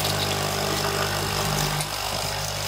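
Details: Coffee machine (capsule type) after clearing a clogged needle by poking it with a wire, set to hot: steady even low buzz with faint higher hum as the vibratory pump runs normally, pumping water, though it spills.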